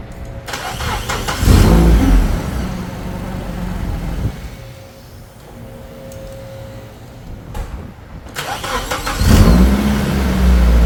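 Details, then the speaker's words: Nissan 240SX, first start after troubleshooting (timing work), clutch in: it cranks, catches, gets a couple of blips, then settles into a low, smooth, quiet idle with no tapping. It now runs on its own. "Listen to that. Nice and quiet, just like I planned. It's quiet. She runs on her own, fires up on command."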